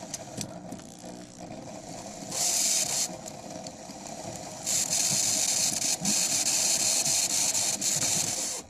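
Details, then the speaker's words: Proto 2000 high-hood locomotive, believed to be a GP18, running on DC bench power. A high, thin motor whine comes in long bursts with brief stutters and dropouts. The owner suspects cracked axle gears are skipping teeth. "Yeah, this one's making some funny noises. This one's skipping, so there's probably a crack here and there."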